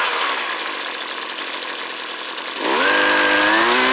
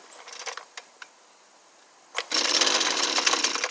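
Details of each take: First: Husqvarna 329L trimmer after recoil starter repair: high buzzing rev wandering and dipping unevenly instead of holding steady; suspected to need carburetor tuning. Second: Husqvarna 329L two-stroke string trimmer after a recoil starter repair, choke up and primed: a few pull-cord clicks, then a short burst as it fires; it sounds like the carburetor needs tuning.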